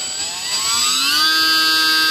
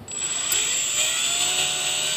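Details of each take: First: E-flite UMX J-3 Cub electric plane after replacing the prop with a factory prop: clean, steady motor tone rising smoothly to a constant pitch without wobble or buzz; prop spins true and balanced, "night and day" difference. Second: E-flite UMX J-3 Cub electric motor at about 30% throttle with heavy aftermarket propeller, before refitting factory prop: steady high whine with buzzing rattle on top; propeller vibration.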